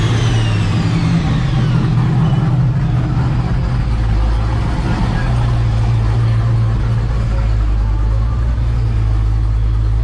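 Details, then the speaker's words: LS Postal truck with supercharged LSA V8 on Fasterproms dyno at full-load pull: deep steady V8 roar with rising blower whine, no pinging or misfire; 1.5 degrees more timing (21.5) caused no knock, healthy. "But the fact that we went 1.5 degrees, it didn't knock. That's good. Right. Need a All solid motor, right? Feels good right now. She's healthy, that's for sure."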